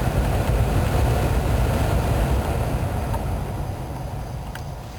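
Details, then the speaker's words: 2004 GMC Envoy SLT with automatic climate control, after replacing failed blower control module; strong steady rush of air over low engine idle, no squeal, rattle or surging: normal blower operation, though air only exits defrost vents. "okay now that everything's all back together go ahead and try it out and you can hear it it's blowing"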